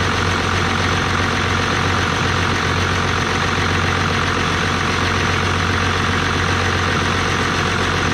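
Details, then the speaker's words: 1989 Dodge Ram D250, 12-valve Cummins turbo diesel with VE pump, after water pump, alternator and thermostat replacement, idling at full operating temperature: even steady diesel clatter, no misses or stray knocks; healthy, no leaks. "all right so since i had this truck this was the first run um getting it all the way up to normal operating temperature and everything seemed to do great no leaks"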